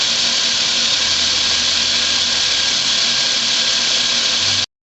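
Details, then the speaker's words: 2004 Chrysler Pacifica 3.5L V6, 120,000 miles, after fixing an intake manifold runner control vacuum leak that caused a cylinder 6 misfire. Injector O-rings were on and fuel trims read about -2.5 long-term and +2.5 short-term. Steady, even idle with no hiss-leak, ticking or stumble. "okay we got the uh intake manifold with the uh those injector O-rings on there and as you can hear it's uh not making any noise"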